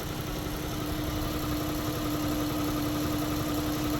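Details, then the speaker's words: 2015 Dodge Caravan CV, under the hood at idle: steady hum with constant whine and slightly uneven low pulse, engine shaking visibly; torque converter failure suspected, likely caused by the transmission front pump, not confirmed. "You see that thing shaking? It's shaking pretty good."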